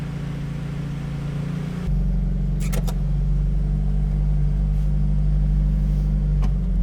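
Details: 1974 Audi Coupé S on unleaded fuel, just after a full engine and gearbox rebuild, warming up while driven gently: smooth, steady low drone settling after a gentle throttle change, no knocks or ticks; healthy engine under light load.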